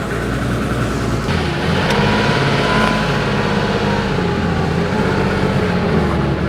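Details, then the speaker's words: Porsche 911 flat-six after replacing the leaking fuel tank, upgrading sway bar bushings and changing filters: pulls smooth and even as revs rise and settle, no stumble or knocks; running well. "Harry is back running again and doing well."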